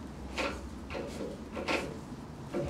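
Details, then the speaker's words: Boat bow thruster with lost thrust, propeller turned by hand: quiet, irregular dull clunks about every half to one second, as if the 90-degree drive gears jump teeth and slip; cause suspected, not confirmed. "And you can hear it, yeah it's like it's jumping teeth, yeah, in the drive because obviously you've got a propeller there and you've got another drive on the top"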